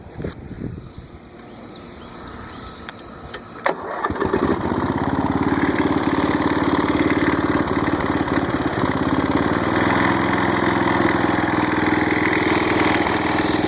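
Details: Snapper rear-engine rider thought seized, actually a stuck starter gear, started on a charged battery: starter cranks briefly, engine catches near four seconds and settles into a steady, even mid-pitched run with no knocks.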